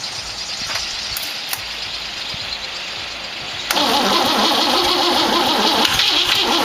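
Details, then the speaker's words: 1914 Dodge T-bucket roadster with a modified distributor: starter churns at a steady beat of about 200 a minute with no firing. Cause: plug wires were set in clockwise Ford firing order, but the distributor turns counterclockwise (Chevrolet rotation). "well bonehead mistake I put it firing order on here clockwise old Ford hangover visitor this turns counterclo"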